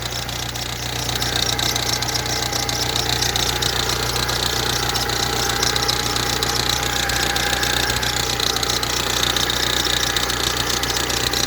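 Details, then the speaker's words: Ford Transit Connect diesel idling: sharp, even tapping three to four times a second over the clatter. The vacuum pump, high-pressure sensor and cam sensor are new. The owner suspects the power steering pump; the source is unconfirmed. "do you know what that rattling sounds like the power steering pump"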